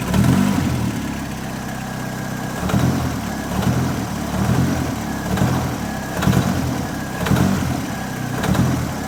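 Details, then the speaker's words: Model A coupe hot rod, long stored, on a super tired engine with about 20 oil pressure and loose motor mount, alternator and belt: rough idle with blips, a metallic rattle on throttle release; source not pinned down. "it's like a rattle right when you get off"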